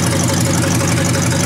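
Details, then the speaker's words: 1953 Hemi V8 restarted after line blown out and dirty oil pumped out: deep even idle with steady low rumble and faint ticking from the old mechanical fuel pump; engine running smooth and healthy. "It'll be alright. It'll be alright. Yeah. Really good, I think. Don't get no better than that, does it?"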